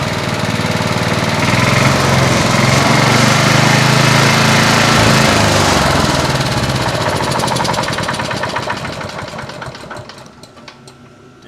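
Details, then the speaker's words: Vintage Honda HR214 lawn mower, revived, possibly idling a bit high and still burning oil: rough, loud run with a steady clack about four per second, fading as it winds down before shutdown; owner suspects the bottom end is destroyed. "it starts up now but it has a rattle to it and also that clacking sound makes me think that maybe there"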